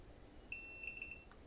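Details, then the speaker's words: Bluetooth thermal receipt printer left powered on while repositioning paper: a few short high-pitched beeps in a quick group over a quiet room, sounding automatically because no paper is loaded; paper-out alarm. "Ini masih bunyi karena tidak ada kertasnya. Ini secara otomatis. Kita off kan dulu biar enggak error."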